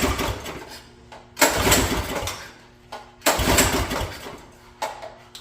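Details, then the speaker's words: Mini bike engine that puffed smoke and hasn't fired since, owner fears it is dead: three pull-start bursts about two seconds apart, each fading to silence without catching; cranks but will not start. "and it was kind of puffing out some smoke and now it won't start so I think I may have killed this thing"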